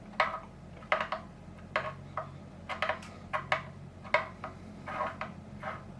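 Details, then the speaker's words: Parts-caster Telecaster with a Fender Mexico neck, frets checked with a short straightedge before fret leveling: quiet paired wooden clicks about once a second as the straightedge rocks over a high fret, one of eight high frets found. "You can hear a rock. It's the reason I brought the camera down, so you can hear the rocking."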